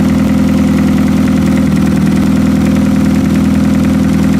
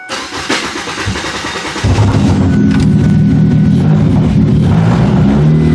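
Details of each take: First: Demolition derby car engine fitted with a push start, old fuel drained, oil bypass working and oil filter deleted; a loud, steady idle with an even throbbing beat, no knocks or misfires, and no leaks. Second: Derby car with push-button starter bypass, old fuel drained, alternator not charging: starter grinds about two seconds before catching, then uneven surging run; hard start, owner suspects low fuel pressure.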